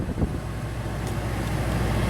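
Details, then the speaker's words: Xplorer RV air conditioner on new deep cycle battery: steady low hum of compressor and fan, no surging or rattles, air getting cold; unit running normally. "I just heard the compressor come on so we're gonna feel if this thing gets cold I hear the compressor running really good"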